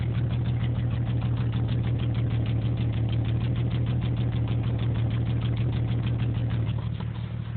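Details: 1987 Jeep Cherokee/Wagoneer Limited idling unevenly at about three beats a second with a lumpy, shaking rhythm under a low drone; rough idle, cause not identified.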